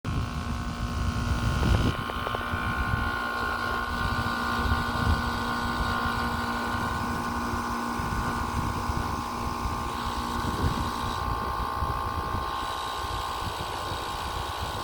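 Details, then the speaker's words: Upstairs outdoor AC condenser on July 18, 2022: it clicked on and shut off after one or two seconds four times before engaging, then ran with a loud hum and whine, much louder than the other unit. Cause unknown. "it seems like it finally engaged but it sounds so much louder than than this other"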